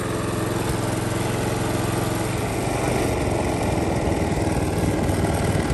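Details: Lawn mower single-cylinder engine that had been run low on oil, rebuilt to fix a knock, running at lowered rpm; a smooth, even putter with no knock coming through, where before it knocked clearly: normal running after repair.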